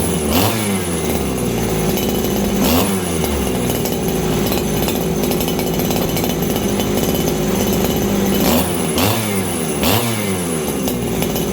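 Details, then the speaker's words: Farmertec 288 kitsaw (90 cc aftermarket): after low jet tuned, saw repeatedly shoots up to a thin, screaming top speed with no four-stroking burble; high-speed jet set really lean, needs richening. "My high jet seems really, really lean right now. So I'm going to go back in again."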